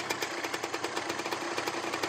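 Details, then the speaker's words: 1989 Suzuki TS 125 X two-stroke (125 cc, 16 kW) after an engine overhaul, with a provisional exhaust: crisp, even popping at a steady, slightly higher idle while warming up, no misses or knocks, no leaks, sounds healthy. "Už má větší volnobě. Pojka, jo. Možná má trošku větší volnoběh, ale jo? fakt zajímavě."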